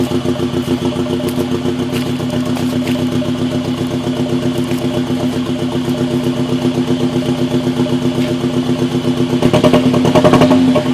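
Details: Audi engine idling on 2 cylinders: rough, lumpy idle with a heavy, uneven chuffing beat. Severe misfire.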